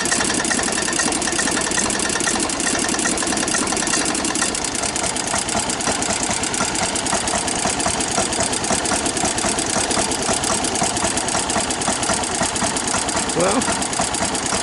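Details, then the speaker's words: 1993 Club Car golf cart petrol engine that had been hard to start and stalling, after a gummed carburetor was cleaned, unused over a year, oil checked: small engine idling at a steady, even pace throughout without stumbling or dying; running normally. "Yeah, I checked the oil. The oil's good. We got it running again."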